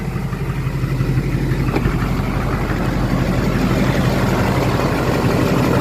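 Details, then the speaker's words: LBZ Duramax diesel truck idling just after installing an HSP turbo mouthpiece; listening for hissing, none heard. Steady, even idle clatter, smooth low rumble, no hiss or whistle from intake: normal idle. "Just listening for any hissing noises. I don't hear anything. Just gonna let it idle a little bit. Sounds good though."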